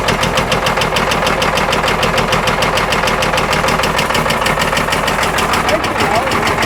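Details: Old Caterpillar 977L track loader diesel started on lots of ether: loud, steady clatter with uneven, lumpy firing pulses at idle and backfire; running rough, sounds like it's going to come apart.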